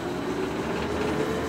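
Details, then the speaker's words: Lee case trimmer cutter on a lathe trimming brass with a Lee lock stud and shell holder; the cutter was readjusted after chatter in an earlier run. Quiet steady mid-pitched hum, no rattling chatter or squeal: smooth cutting without chatter. "So in the previous video you heard a little bit of chatter. There's really almost no chatter at all in there now."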